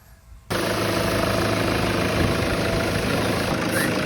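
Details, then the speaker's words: Toyota Fortuner diesel, 175,000 km, after turbo was removed, found undamaged but dirty, cleaned and refitted: steady even idle rumble, turbo noise gone, no whistle. "naobserbahan na namin to hindi na po siya umingay ibig sabihin mga boss kaya po siya maingay dahil po sa ang kanyang turbo masyado na po marumi"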